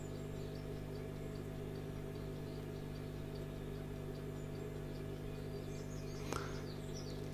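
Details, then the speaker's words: Old radio being powered up through a bulb limiter at about 180 V, with current rising from 80 to 100 mA and the bulb glowing dimly: a steady, even mains hum and one click near the end; source of the hum unclear. "so there we go 100 milliamps can you hear it humming"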